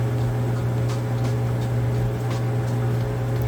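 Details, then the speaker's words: Amana HE top-load washer, last and fastest spin of the final spin cycle on a normal cycle at the large setting. A strong, steady low hum at an even pitch with no knocking; it spins super fast and extracts water well, a normal spin. "spinning super fast you can see here does an excellent job getting the water extracted out of those clothes"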